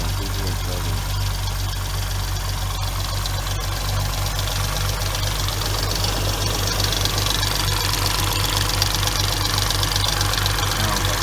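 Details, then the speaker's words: 2006 Hyundai Tiburon 2.7 V6, 6-speed manual, idling: fast, steady tick over the engine hum from clogged hydraulic lash adjusters not getting enough oil; adjusters, timing belt and water pump replaced. "we have a problem of getting clogged up not getting oiled correctly making a loud ticking noise"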